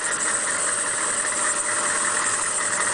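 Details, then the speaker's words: 1998 GMC school bus with 6.5 GM diesel, 209,000 miles, many new parts, well maintained by school system; starts right up: steady, even diesel idle with smooth clatter, no misses, knocks or surging; runs great. "it runs great has a lot of new parts on it has 209,000 starts right up let's uh listen to the motor real quick got this 6.5 GM diesel"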